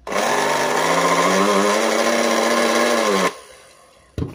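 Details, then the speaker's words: Bolde Super Mix Turbo hand mixer on 220 V whirs with a rough, wavering buzz instead of a clean hum; the motor and gearbox are faulty. "Dari suaranya tuh kayak spool yang rusak, yang merah ini. Tapi nggak tahu lah ya, karena untuk membuktikannya kita harus bongkar dulu."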